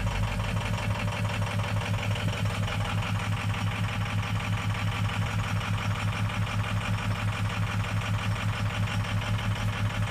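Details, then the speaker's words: Ford 6.0 Powerstroke diesel with low FICM voltage (about 30 V): lumpy, loping uneven idle about once a second, injectors starved; possibly also bad injector drivers. "And here I'll show you what this one sounds like when it starts, just to give you an idea of what we're looking for. Because again, we have the low voltage."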